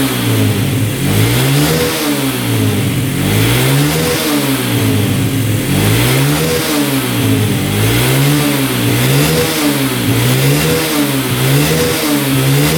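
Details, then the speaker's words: 2011 Yamaha Raptor 125 quad, gas cap removed: single-cylinder surges up and down in slow waves instead of holding idle; won't settle without choke, stalls with choke off; owner concludes it's not getting enough fuel. "Seems like with the choke on, it's running a lot better. It's a lot better with the choke on, but it's not idling. Turn the choke off. So choke is off."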